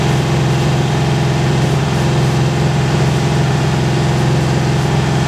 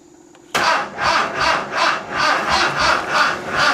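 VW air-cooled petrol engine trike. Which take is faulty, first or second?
second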